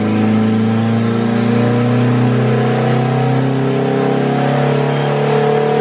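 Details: Honda K-series all-wheel-drive Civic on dyno, second tuning pull: steady loud high-rev tone under load, no clear knock before failure; threw a connecting rod at 164 with gauges reading fine.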